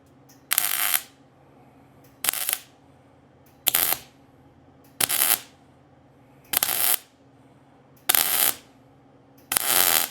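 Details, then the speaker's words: Welding onto an antique vise grip, welder now cold: seven short bursts of sharp crackling arc with popping and backfiring. Suspected to come from rust, and probably oil, on the workpiece. "So now we're cold. You can hear that welder backfiring a little bit."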